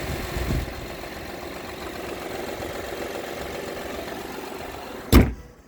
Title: 2016 odyssey knocking/ticking noise from engine